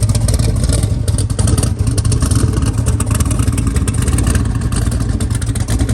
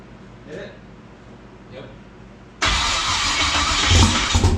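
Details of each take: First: Twin-turbo LS-swapped SN95 Mustang on Holley EFI, very first start: a strong, even V8 rumble with steady revs and no misses once settled. It needs tuning and is low on fuel. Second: Twin-turbo LS-swapped SN95 Ford Mustang first start: V8 catches and runs lumpy with uneven stumbling beat; cylinder two dead because a part for it was cut.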